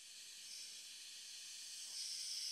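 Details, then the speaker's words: Electronic Autococker paintball gun, aired up to about 300 psi and cocked: steady high-pitched hiss growing as low pressure is raised, leaking from three-way under the solenoid despite going through the O-rings. Air leak. "as soon as I adjust the low pressure you can begin to hear the leak from the three-way and it's coming right underneath the the selenoid"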